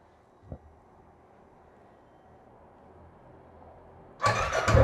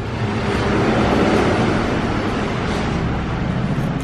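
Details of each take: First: Royal Enfield Classic 500cc single before repair: starts, thumps unevenly about six seconds, then dies when throttle is touched; missing and stalling blamed on incorrect sensor position. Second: Royal Enfield Classic 500cc BS4 EFI single after moving the sensor lower to cure a missing problem: even thump about four a second, no stumbles or skipped beats, normal clean idle without missing.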